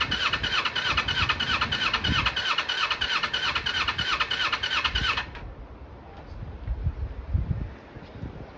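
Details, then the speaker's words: 1995 Kawasaki Eliminator EL250, long laid up, carbs freshly filled with fuel on reserve. Fast, choppy beat on choke for about five seconds, then it falls away and dies with no revs. Rough running on choke; owner thinks it probably wants plugs. "Probably wants plugs really. Normally just choking, no revs."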